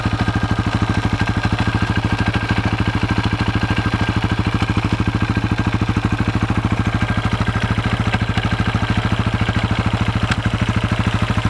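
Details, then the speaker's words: 2004 KTM 640 LC4 single, 38,000 km, after 10 days unused: sharp tac-tac clatter about three per second locked to the idle beat, engine's left side; also at low speed, stops in gear with clutch held; cause unclear, owner wonders about crankshaft or clutch bell. "même quand je roule à bas régime ça claque un peu tac tac tac tac et des fois va grincer un peu même et je sais pas ce que c'est"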